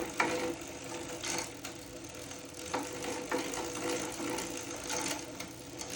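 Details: Zwift Hub bike trainer: steady mechanical whir broken by irregular rough scraping bursts every second or so. Grinding noise, unresolved issue.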